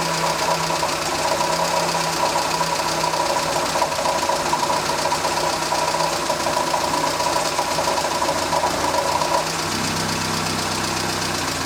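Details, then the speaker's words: Morris Minor with its idle being set toward about 1000 rpm: a steady, slightly uneven idle whose pitch drops near the end; the lift-pin test stalls it, showing it runs lean because the carburettor is worn and needs a rebuild. "If you lift the plunger up and it stalls, it's too lean. And mine is running too lean. That's very annoying."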